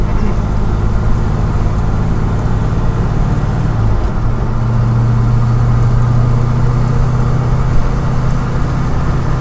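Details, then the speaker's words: Moser 12-bolt rear end with replacement 3.91 ring and pinion, at highway speed around 100 km/h (60 mph): steady low differential gear howl under road noise, still present but much quieter than the old noisy gears. "Still there. It is a lot quieter, so I guess that's a good thing."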